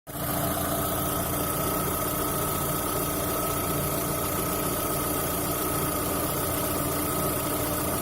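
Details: VAZ 2110 engine, odd noise after the exhaust manifold ("spider") was replaced: steady idle with a constant hum and a faint high tone on top, no clear ticking; source unconfirmed.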